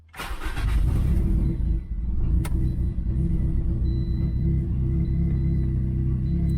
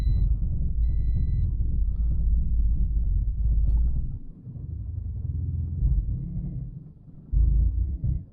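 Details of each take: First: 2010 turbocharged Toyota Corolla after swapping back to a different ECU with a piggyback harness: starts quickly and settles into a steady, even idle. It previously ran super rich and misfired; AFRs are slightly rich while warming up. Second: Turbo Toyota Corolla just after an ECU swap, restarted after sitting 30 minutes, piggyback harness not yet installed so fuel ratio is not being adjusted. Low idle rumble surges and sags unevenly, catching again every few seconds. Rough idle; owner suspects the missing harness.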